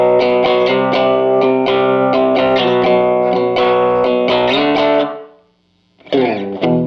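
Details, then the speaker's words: 1949 Gibson BR-6 tube amp, final tone demo after servicing, cleaning and repairs, played with a Fender Strat single coil: clean chords ring out clearly with no hum, crackle or cutting out between notes. The amp sounds healthy. "And once I get all that, then I will go ahead and do a final tone demo on this thing, and we'll see what it sounds like."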